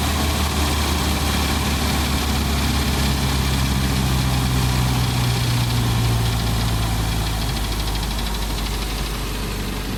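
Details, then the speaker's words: 1988 Jeep Comanche 2.5L Renix I4 after ECU reset by disconnecting battery: starts but runs a rough, uneven low rumble that sags instead of settling; won't hold idle, owner suspects TPS not adjusted properly. "Well, now it starts, but it doesn't want to idle. It never ends. It could be that the TPS isn't adjusted properly."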